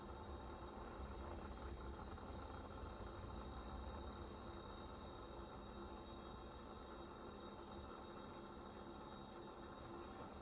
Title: 2 months old Panasonic fridge rattling noise 2